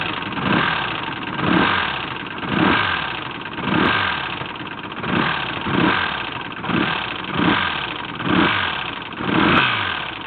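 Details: 1984 Honda GL1200 flat-four blipped from idle about once a second, with a dull knock on each rev rise; the source of the knocking is undetermined.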